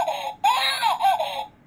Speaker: এই যে শব্দ হচ্ছে কিন্তু। এখন আপনি যদি বলেন আপু এটা তো শুধু শুধুমাত্র আমার বাচ্চা যখন হিসু করবে তখন শব্দ হবে।